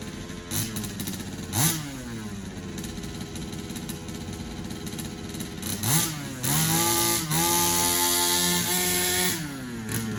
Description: Rebuilt carb test in hpi baja 5bss